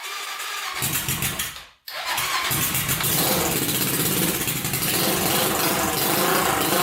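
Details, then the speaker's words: 1999 Honda 400EX quad, newly turbocharged with carburetor, first start; single fires after a dropout and runs with irregular stumbling pulses under turbo hiss; owner suspects not enough fuel, carburetor needs pressurizing. "all right so you can see it probably needs some modification at the carburetor"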